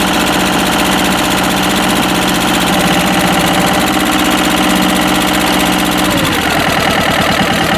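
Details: Westwood lawn tractor's Ruggerini twin-cylinder air-cooled vertical-shaft diesel, previously hydrolocked, running after repair with new starter: even, steady clatter at idle, then a clean drop in pitch, no knocks or misses; normal running.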